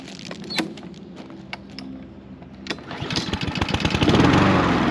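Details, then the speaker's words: Troy-Bilt 21in self-propelled mower with Honda engine that only ran on choke, after carburettor cleaning and refit: starts right up but runs with an uneven rising-and-falling beat instead of holding steady; surging persists, cause not confirmed. "It started right up, but it kind of surged."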